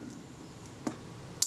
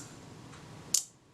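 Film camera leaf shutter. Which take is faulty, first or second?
second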